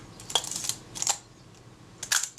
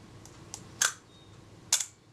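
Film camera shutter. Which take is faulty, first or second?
second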